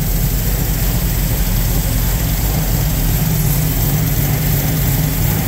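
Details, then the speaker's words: 1974 Ford Bronco after an engine swap, fuel-injected V8 with MSD ignition and fuel pressure about 60–65 psi: fires right up into a deep, steady idle with injectors audibly pulsing and no stumbles or ticking. "there it is running you can hear the injectors pulsing in the back there"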